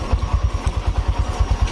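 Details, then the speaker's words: Honda Vario Techno 125 (old model): low, even thumping at about nine beats a second with a rough, clattery edge over the idle. The engine is noisier than it should be. "Nah. Sekarang kita nyalakan. Gas. Stop. Ini berisik"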